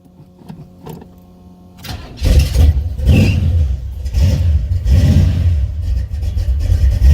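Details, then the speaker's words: Buick 455 Stage 1 Regal T V8 with an electric fuel pump, whose 1-wire alternator stud broke off: catches into a lumpy idle with a faint, quick metallic tick. The source of the tick is not identified. "there it is it is lightly tick-tick-tick metallic pick"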